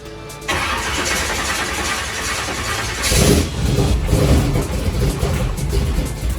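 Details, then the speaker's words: Supercharged (blown) big-block V8 truck, first fire-up after carburetor-to-Terminator X EFI conversion, fuel pressure 58 psi: cranks and catches unevenly, rough and stumbling without a clean idle; hard start from an incorrect EFI tune, later re-tuned. "All right, guys, it looks like we had a slight mishap with the tune. I think we got it dialed in."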